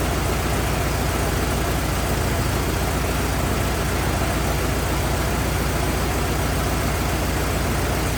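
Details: 1927 Ford TT truck, on battery ignition, choked after restart; steady, even low chugging with loose mechanical rattle on top, no misses or knocks; oil leak, owner suspects loose hogshead inspection cover; good runner, normal idle.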